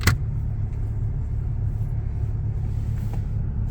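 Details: Free car being repaired, warm idle with the heater blowing hot and the temperature gauge reading a little low: low, smooth, steady rumble with no knocks or misses; engine sounds healthy.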